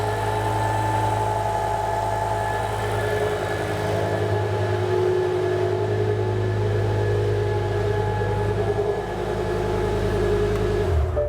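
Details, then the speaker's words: BMW E60 M5 S85 V10, first run after new rod bearings, no coolant, secondary air pump hose disconnected: smooth, even low idle hum, no bottom-end knocking or ticking; normal idle. "Okay. Everything actually sounds really good. I can't hear that secondary air pump screaming because it's not hooked up, or the hose isn't hooked up to anything."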